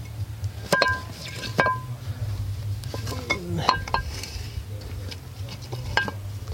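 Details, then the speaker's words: Skid steer axle removed after running tracks through deep sticky mud that got into the bearings, turned by hand in a quiet shop: uneven metallic clacks about once a second. The outer bearing is gone, and the axle was swapped for a spare. "one handed here rattling that's all that outer bearing is gone"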